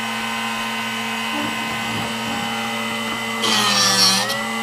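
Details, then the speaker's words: Drill Doctor sharpener on 1/2-inch (13 mm) cobalt bit, depth adjustment likely set too far in: steady whine, then about a second of harsh scraping as it grinds past the split point, rounding it; sharpener grinding past split point. "It shouldn't go past, but you can hear that when it gets on this side, it should only sharpen through this range here. Once it gets over here, it shouldn't be touching it anymore, and that's what's creating that rounding."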